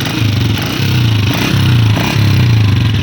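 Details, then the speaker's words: Honda 125 single-cylinder motorcycle, before repair: uneven phat-phat puffing chuffs over a low beat at the front pipe; exhaust leak at the head, fixed by replacing the exhaust washer. "आगे जो फट फट की आवाज़ आ रही थी ना, वो भी घूम आवाज़।"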